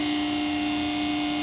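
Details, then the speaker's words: Pacific press brake with PC 800 control, started in inch mode: constant, even pump hum with steady tone, no surging, knocking or cavitation; normal running. "It's going to get loud, so you'll pull the start button. It has to be in inch mode in order to start it."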